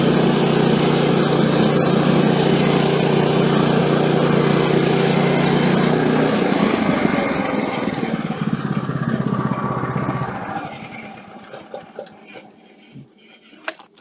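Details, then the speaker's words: Woodland Mills HM130 Max sawmill after replacing the tensioner bearing, cutting a small silver maple log: steady, even blade drone with no surging, then a smooth wind-down. "All right, so no surging at all on that one. So that's good. It's kind of what I was hoping for."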